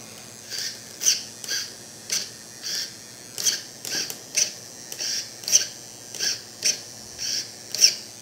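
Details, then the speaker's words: EXI D227F digital steering servo newly installed in a Redcat Tornado S30 buggy, replacing the stock servo. Short, high, buzzy whirs in bursts about every two seconds as it sweeps. Loud but working normally, faster and stronger than stock. "As you see, it is noisy, but who really cares as long as it works, right?"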